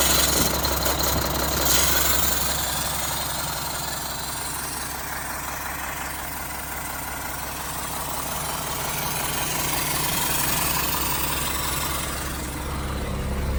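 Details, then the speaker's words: 1975 Mack FR700 8x4 diesel at first start in many years, after bleeding the last air from it. Steady idle with a regular chuff of about 220 a minute from the air compressor venting through its open discharge port. "The noise you can probably hear is the um air compressor. It's just got an open discharge port at the moment. So, it's just chof chuff."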